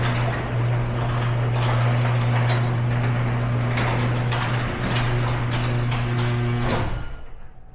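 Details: Garage door before roller replacement, opener running: loud drone with a rattly stream of clicks about four a second as the door travels; worn rollers with lots of wobble and play chattering in the track.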